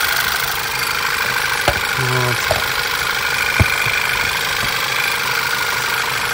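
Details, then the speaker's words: VW Passat B7 1.8 TSI petrol, after repair of rough idle, misfiring, jerking and whistle when warm; smooth steady idle, no whistle or stumble, a few stray clicks, no fault codes: normal idle, engine running perfectly. "можно отдавать машину владельцу мотор работает идеально"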